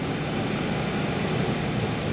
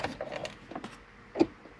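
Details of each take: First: 2002-2010 Ford Explorer after blend door actuator replacement (fix for no heat and clicking): engine started, switched from cold to heat, steady even rush of air from vents, no clicking behind dash; normal blend door actuator operation. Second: 2002-2010 Ford Explorer with no heat, key at accessory: sharp plastic clicks behind the dash when the temperature is moved from cold to hot; a blend door actuator is suspected, later replaced.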